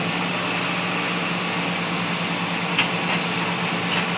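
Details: GLI 4A-FE after work on idle, wiring and under-chassis issues: smooth steady idle hum with no ticking, rattle or surging; earlier noise gone.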